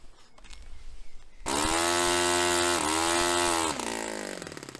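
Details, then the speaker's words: Restored Saito FA-45 Special model on test stand, 10% nitro fuel, low-speed needle richened in turns; fuel-line pinch test, buzzing idle sags and dies in under 4 seconds, still lean; lean idle mixture. "Similar sort of dying in just under 4 seconds, I think. Pinching the hose on the lower speed, so I'm going to dial it up a little bit further."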